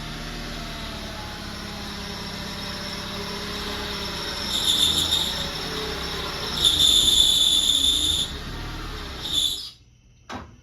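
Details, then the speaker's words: 2007 Honda Accord, K24 engine, manual transmission, running before clutch replacement: thin high squeal coming and going in bursts over a quiet engine, from a bad clutch throwout bearing, later found to be the real issue. "So if you couldn't tell, obviously, a manual transmission, when I pulled it in here, is not supposed to sound like that at all."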